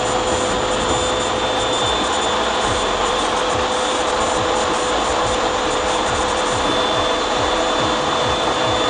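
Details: Clothes dryer runs with a loud, rough scraping roar and steady whine before repair; drum rubbing metal on metal from a failed drum gasket seal, out of balance; fixed by inserting the gasket between the metal parts.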